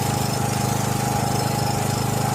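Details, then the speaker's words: John Deere 6200-watt portable generator, dry-stored about four years with varnished carburetor, after new carburetor and gaskets: catches after a moment, then fast, even pulsing beat and steady hum with no hunting or surging; normal running. "Took a second for the gas to catch up there, but man alive does that sound way better than it did when we first tried, boys."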